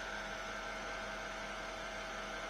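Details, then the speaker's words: Mercedes W221 air suspension compressor, car raising with the door open: steady even low hum with no knocks or rattles, almost inaudible, as it should be, unlike the loud worn or broken compressor before. "вот должен как должен работать компрессор пневмоподвески сейчас я включу ты вообще не слышно вообще даже должен чувствоваться салоне"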